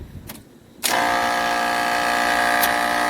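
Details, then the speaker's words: Trane package unit with newly replaced three-phase scroll compressor: harsh buzzy droning hum, no pressure differential between high and low side; compressor running backwards, fixed by swapping two power legs. "right there right there it sounds like it's running backwards you see we have no differential on our pressures"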